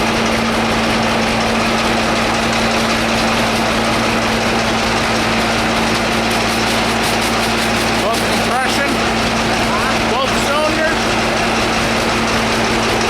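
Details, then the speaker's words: Cold-weather run of a two-cylinder engine started with starting fluid, idling well but with a heavy, even pounding on every firing beat, like hammers beating on the block; connecting rod knock, with the owner weighing repair against parting it out. "As you can hear, that thing sounds like the hammers of hell beating on the side of the engine block."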